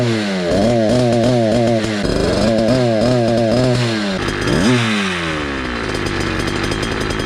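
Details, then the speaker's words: Motorized bicycle two-stroke with cheap chainsaw pumper carb, tuning start with low screw 1 turn and high screw 2 turns out: buzzy revs rise and fall back quickly, then settle too fast; idle set too high, needs idle adjustment. "RPM drops pretty quickly. Idle is getting high, so I need to adjust the idle."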